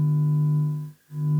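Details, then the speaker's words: Telefunken Operette 6 tube radio on a second power-up, amp working: a 1kHz 200mV RMS signal-generator tone into the pickup input is drowned by a loud steady buzz. Hum is much lower with the generator disconnected. Mains hum, cause not yet found. "so i have a huge amount of hum as soon as i connect the signal generator because if i disconnect it then the hum is much much less there is still hum but not that much"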